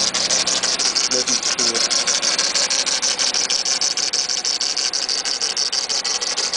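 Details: Mitsubishi Eclipse GS (DSM, 420A engine) at idle: fast, steady rattling pulse about three per second over the engine, first thought to be the timing belt; confirmed by belt deletion as the AC compressor failing.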